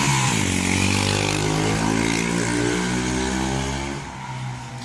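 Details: 41-year-old Honda XL125S single, imported for restoration: pulls cleanly under acceleration with smoothly rising note, no popping or missing; running properly.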